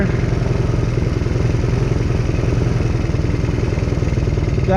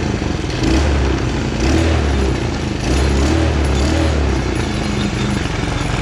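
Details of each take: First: Chinese 125cc kids ATV after carb cleaning and new spark plug, idle just adjusted down, air filter off: quick even exhaust pulses at fast idle, no stumbles or clatter; much smoother with more RPM than before. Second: Small 125cc Chinese kids' ATV that starts slowly; carb mixture screw set to four turns out; small single surges and sags in uneven low bursts instead of a steady idle. Rough running from a worn spark plug.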